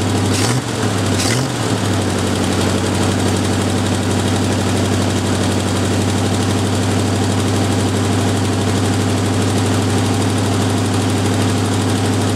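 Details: Jeep M715 army truck, fuel injection removed and converted to carburetor, old cold start; big petrol engine holds a steady, even idle with a deep, regular low rumble, no misses or surging; normal idle.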